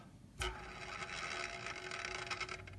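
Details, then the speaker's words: DJI Inspire 2 drone, front left motor with red prop: dry rasping grind with a faint steady whine as it spins, while the white-prop motors are silent; the front left motor bearing has gone bad. "As you can hear, it has a slight grinding sound."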